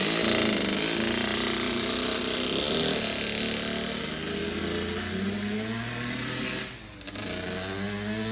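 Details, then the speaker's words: 2009 Kawasaki KX85 two-stroke after carb clean, fresh fuel and new jets: buzzy raised fast idle barely settling, still idling high. Owner suspects an air leak and plans to go down another jet size. "She still kind of seems to be idling a little high. So I think maybe we'll go down another jet and see if that does anything."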